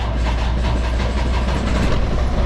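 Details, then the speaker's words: 2017 Freightliner Cascadia DD15 diesel with about 800–900k miles, modified less than a year ago, with excessive blow-by and low coolant. Heavy, uneven, labouring start with rough lumpy firing. Low compression was later traced to a damaged cylinder 3 liner and piston. "Yeah, your engine should not struggle at all to start up that way. Just listen to it."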